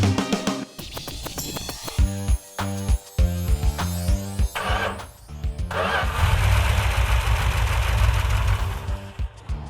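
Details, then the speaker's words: Rebuilt 340 V8 in a Cuda, after earlier sand sabotage and low compression repairs, firing up and settling into a steady, even run as it should. "that's the way it's supposed to run"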